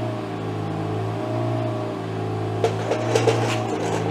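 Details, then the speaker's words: BMW M3 Competition on a lift, in third gear, after repairing the failed parking brake cable clip that let the cables touch the driveshaft: steady low drone, no more ticking; slight handbrake drag remains, needing adjustment. "this is third gear and as you can hear no more ticking sound well that's kind of good news that's very good news actually"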